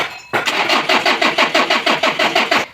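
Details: Mitsubishi L300 4D56 diesel engine hard starting every time: starter grinds through about fourteen even compression strokes over two seconds without catching; owner asks what to replace, fuel filter/fuel suspected, not confirmed.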